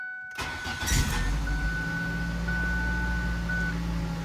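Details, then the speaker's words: 2000–2011 Ford Focus just after fuel filter replacement, key cycled to rebuild fuel pressure: brief crank, fires straight away into a smooth, steady idle; normal start and idle. "And I'll just let this idle for a little bit here."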